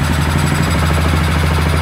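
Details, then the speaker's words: 2007 Suzuki King Quad 750 that had died, right after fitting a new spark plug: catches and settles into a quick, even thump with no misses; normal idle after the plug fix. "no freaking way all right well we're going to let it we're going to let it idle for a minute that's old shitty spark plug"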